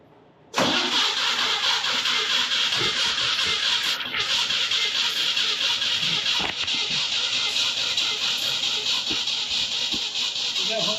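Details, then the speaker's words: 1969 Jeep CJ5 with Dauntless engine, first start after converting from 2-barrel to 4-barrel carburetor: steady cranking for about ten seconds, never fires; no spark because the ignition coil wire isn't hooked up while the fuel pump pours gas. "is the wires hook up oh the wires oh cuz it's starter you're right I mean to the coil"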